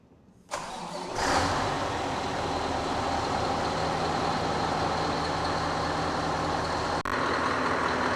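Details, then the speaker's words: Scania R620 V8 diesel truck after full engine service with new fuel filter; starter whirrs, engine catches with a brief stumble, likely air bubbles from the new filter, then settles into a steady, even idle: normal idle. "Bon déjà, on peut constater qu'il marche nickel."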